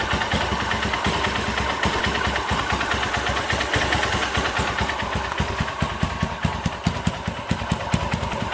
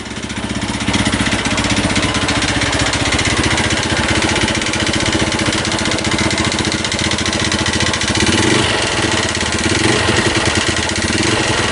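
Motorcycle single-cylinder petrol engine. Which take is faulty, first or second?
second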